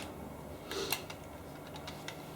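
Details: Model railway wagon with loose internal lead weight removed to stop a rattle; a few light, irregular clicks and ticks over a quiet background, only coupling clank, nothing rattling loose.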